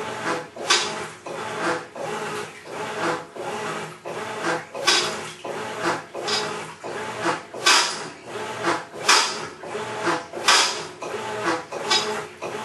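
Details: Maytag Centennial Commercial Technology washer, just over a year old, overloaded for demo, wash agitation: harsh gravelly churning surging with each agitator stroke every 1.5 seconds, like a cement mixer of gravel; grinding in drive, began after warranty expired.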